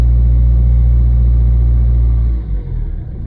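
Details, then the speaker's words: 2011 Citroen C3 1.4 HDi diesel after fuel filter change and hand-pump bleed: even, steady idle rumble with smooth regular beat, no misses or knocks; bled correctly, no leaks after 5 minutes running. "So there you can see, nice smooth idle. It's been bled correctly. We've got smooth running."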